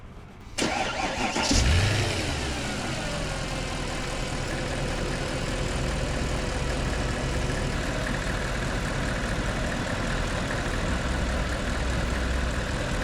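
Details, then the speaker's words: 2008 Mercedes ML63 AMG, 6.2L M156 V8, first start in over a year after replacing flood-damaged modules and rebuilding cam phasers, not yet warm: quick crank, a brief flare, then a smooth steady idle with no knocks or ticks. Normal. "Okay, as you can see, it's running really nice."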